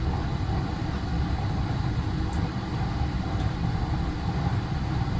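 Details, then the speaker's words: Old boiler with no shut-offs, under repair, firing with the thermostat calling and high and low limits. Deep, steady roar with no sputter or pulsing; burner lit and running hard and even. "So it's got to get up to, oh yeah, listen to it just cook."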